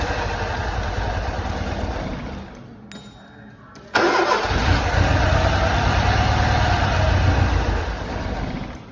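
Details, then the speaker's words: Lancia Delta HF Integrale unstarted over six years, first start after new fuel pump, cleaned lines and four replacement injectors: starter cranks, pauses, then engine catches with a loud burst and runs rough with slight misfire for a few tries. "for a few tries the engine started to run a lot nicer still had a little bit of a misfire but that was fine because this engine hasn't been run in he tells me over six years"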